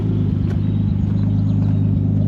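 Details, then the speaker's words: Nissan 240SX with RB25 swap, test drive after coil pack install: low heavy idle rumble with uneven drumming beat and stumbles; new misfire at idle only; owner suspects sticky injector or cheap coil packs, unconfirmed. "we go idle down yeah yeah seems like it's got a miss interesting did not have that before"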